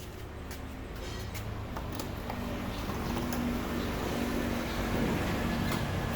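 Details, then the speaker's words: Honda Vario scooter engine that ran out of radiator coolant and was very low on oil: rough idle with a hard, uneven ticking knock about four times a second, recorded before engine teardown; knock from oil starvation. "jadi suara keletak-ketaknya itu bisa didengar sendiri inilah efek kalau udah pernah kehabisan oli dan apa namanya mengakibatkan mesin jadi bunyinya kasar seperti itu"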